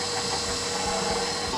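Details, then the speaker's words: KitchenAid Professional 600 stand mixer just reassembled after replacing the worm gear follower, which had caused gearbox grinding and a paddle that would not turn: short steady motor whir with even gear whine, no clunks or skipping. Normal running. "Go ahead and turn it on. Looks like we're working."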